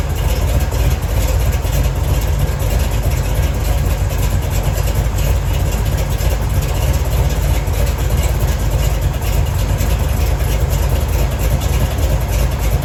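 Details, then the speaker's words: 1970 Chevy Nova big-block Chevy V8 idling while warming up after replacing the failed water outlet O-ring with a paper gasket and RTV to fix a coolant leak; steady even deep rumble, no misses, ticks or knocks, cooling system dry. "all right looks like we're doing pretty good I don't see any leaks it's all dry back there nothing's pissing"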